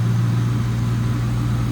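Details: 1996 Ford Mustang GT convertible, 4.6 (281 cu in) SOHC V8, 149,312 miles, engine bay shown: deep smooth even burble and steady low drone, no ticks or misses; healthy V8 idle.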